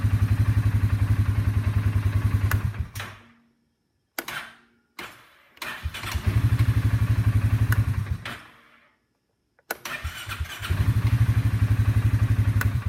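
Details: Steady cranking thumps at about four per second keep cutting out and restarting, pointing to a dead spot (bad section) in the starter motor.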